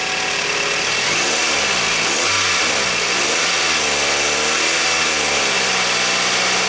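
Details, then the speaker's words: 2000 Toyota Camry after new timing belt installed and tensioned to fix a noise (also EGR solenoid, cam plug, hose, oil pump gasket repairs): revs rise and fall smoothly with no knock or whine, noise gone; normal revving. "let's fire it up make sure that noise is gone see what it looks like [Music] it sounds better already rev it up"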